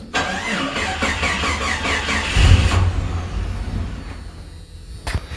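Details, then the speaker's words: 1989 Jeep Comanche 4.0 automatic, battery reconnected after drained by repeated start attempts: labored slow cranking that nearly catches and sputters before fading; weak battery, then it restarts. "Ooh, damn. All the starting I tried to do before it started killed that battery."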